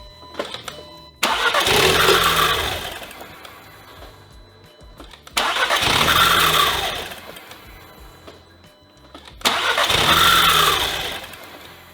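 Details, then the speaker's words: 2015 Audi TTS rollover donor, in time, good plugs; engine fires and runs about three seconds then dies, repeatedly. Owner suspects something shutting it off, possibly due to deployed airbags: starts then stalls, immobilizer. "We obviously have some sort of issue preventing it from running, but it starts. It started five times."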